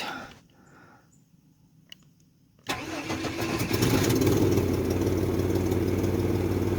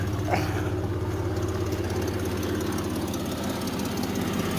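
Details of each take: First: $400 parts vehicle after a starter replacement and battery charge, first start: the engine catches cleanly and settles into a steady, even idle with no misses; good oil pressure, voltage and temperature. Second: Cheap parts-machine vehicle just revived, at idle: a faint, uneven tick over the engine note from a small exhaust manifold leak, because all the manifold bolts were broken; a vacuum leak is also heard.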